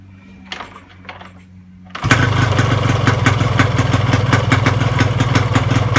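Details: Yamaha RX King two-stroke starts and idles with a heavy, regular klotok clattering knock, about three a second, with vibration; cause: worn crankshaft, loose connecting rod and worn piston.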